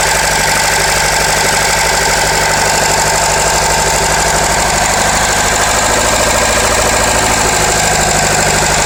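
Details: Renault Laguna 2.0 dCi 150 hp diesel at idle: loud running with a hard metallic clatter threaded through, roughly three knocks a second; source of the clatter still unknown.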